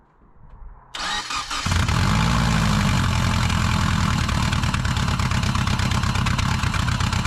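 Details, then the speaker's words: Bug-eye Subaru WRX with a JDM AVCS EJ20 swap, first start after towing on a dolly: a fast idle with a loose rattle like a bag of rocks; first thought rod knock, but it is the disconnected driveshaft flailing in the tunnel. "okay i thought uh i thought the motor had a rod knock for a minute sound like a bag of rocks back there but the drive shaft that i disconnected to tow it and uh just on a tow dolly is just wanging around down the tunnel"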